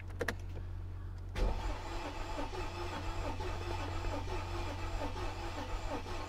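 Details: Mercedes S55 AMG, Copart car showing 100,000 miles, first key turn in the car hauler: starter turns the engine over evenly but it never fires; battery suspected.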